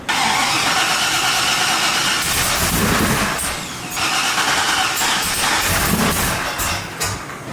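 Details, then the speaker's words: 2002 Silverado 1500HD with a big cam and ProCharger, started with the truck's mass airflow sensor on the supercharger while the supercharger is not yet connected to the motor: bursts of cranking with brief catches that never settle into idle. Hard starting; cause suspected, not confirmed. "not that I really think this is going to make any difference at all I put this on the supercharger when the supercharger is not connected to the motor still don't think it's going to run"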